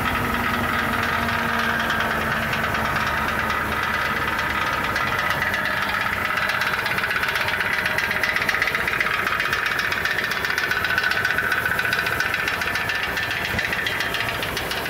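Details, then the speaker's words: 2006 Ford E350 van, running engine recorded by phone underneath: a loose, uneven knocking rattle about four a second that sometimes resembles rod knock and comes and goes, traced to the right-hand catalytic converter (upper or lower section); the converter core is loose and replacement is planned. "Okay, hopefully you could tell the difference there with all of that. It sounded like the right-hand catalytic converter."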